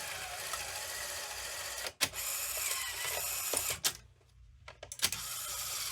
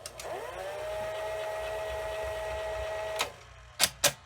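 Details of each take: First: Sony SL-2710 Betamax VCR ejecting a tape: whirring mechanical eject with clicks, a pause, then uneven labouring clunks near the end; eject mechanism straining, cause unknown, owner suspects it needs lubrication. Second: Sony SL-2710 Betamax VCR: a steady mechanical whir with an even, constant pitch for about three seconds during fast forward, then clean stops and clunks; fast forward sounds healthy.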